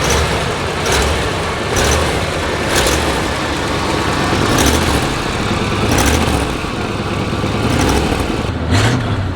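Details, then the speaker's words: 1976 GMC Vandura 3500 RV motorhome with new NAPA cables, carburetor still cold, light throttle, not pushed; steady even drone, no puffing or ticking at the manifold; running smoothly. "Now, you hear how smooth that's running? Won't push it yet. Again, carburetor's cold."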